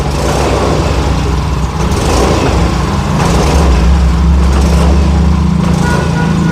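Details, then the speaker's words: Yamaha Fino fuel-injected scooter that stutters when ridden, revved: loud low note that chugs and stumbles unevenly instead of pulling clean; misfire under throttle traced to a faulty injector. "Oke, ini suaranya seperti dendeng dendeng dendeng gitu."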